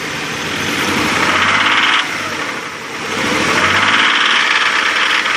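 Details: 2000 Nissan Xterra SE 4x4 3.3L V6 after overheating from a stuck thermostat, no milky oil or steamy exhaust, same with belts off: irregular knocking, two or more per second, rising with engine speed under harsh clatter; cause unknown.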